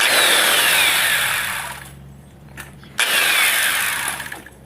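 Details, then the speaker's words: Makita belt sander that fell about 1.5 m runs with a raspy, scraping hiss, winds down, then restarts; something rubs inside, found to be the fan rubbing the housing. "Tá pegando, pegando um pouquinho aqui dentro aqui. Vou desmontar ela aqui pra gente ver qual que é o problema dela."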